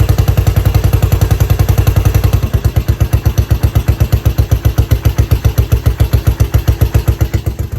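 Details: Yamaha SR500 single-cylinder, totally overhauled as an XT500/SR500 scrambler, first start after rebuild: even, deep thump at about four beats a second, steady; idling cleanly.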